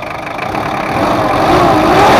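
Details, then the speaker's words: Ford Ranger 2.5 diesel double cab after redoing a poor engine overhaul that had compression leaks, power loss and oil seepage: even steady idle with slight rev rise, no knocks or misses; engine normal, no leaks. "udah kita setting dan gak ada bocor dan untuk mesinnya udah normal kebocoran pun gak ada"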